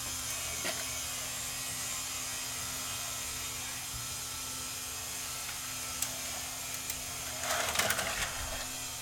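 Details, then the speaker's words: Tascam DA40 DAT recorder that showed Mecha Com Err, after fitting a replacement O-ring in place of an OEM belt: quiet steady motor whir, then a burst of clicks and whirring as tape threads; loading mechanism cycles properly. "part works okay tape appears to thread okay"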